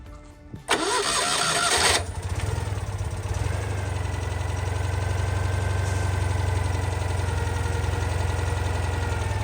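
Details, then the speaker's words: 1988 Citroen 2CV twin, stone cold, after fitting 123 electronic ignition replacing points and condenser: brief cranking, starts very quickly and settles into a smooth, steady, confident idle with no misses; normal cold start. "So the biggest difference I can tell with 123 is the way it starts. It starts very quickly and immediately settles down to a really smooth, sort of, confident kind of idle."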